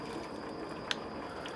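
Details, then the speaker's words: New LG WT1101CW 4.1 cu ft HE top-load washer (direct-drive motor) on a speed wash cycle. There is a quiet, steady hiss of water filling the tub with one brief click as detergent bubbles up during the wash phase; normal fill. "As you can see, it's starting to bubble up in there. That's the detergent going to work. It's dispensing water. This is the wash phase."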